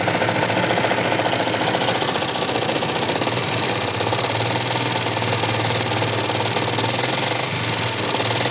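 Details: Yamaha Jupiter MX 150 on starter, failed water pump seal let coolant mix into oil long-term: harsh rapid clatter about 220 per minute, noise from head and bottom end; likely worn con rod, crank and piston.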